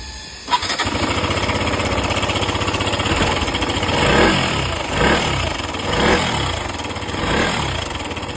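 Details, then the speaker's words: KTM 125 single-cylinder idling with a loose metallic rattle swelling with each throttle blip, caused by a faulty cam chain tensioner. Cam chain tensioner rattle. "एक KTM 125 में चैन स्टेशनर खराब होने के कारण आवाज आ रहा था।"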